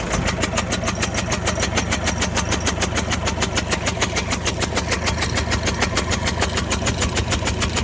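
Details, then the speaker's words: Diesel engine (possibly a Kia) running with a steady stumbling misfire of about three beats per second and a chuffing noise; suspected causes are a burnt valve, a head gasket burnt between two cylinders, or a faulty hydraulic lifter. "çalıştır arabayı arabada tekleme var arkadaşlar"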